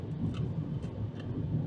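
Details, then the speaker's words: 2023 Hyundai Elantra Hybrid Blue on a test drive at cruising speed. Steady low droning roar fills the cabin: excessive tire road-noise hum on a rough stretch of road, with the source only suspected. "this noise is pretty bad this is the tire noise that i hear i get it the road right here it's not the best"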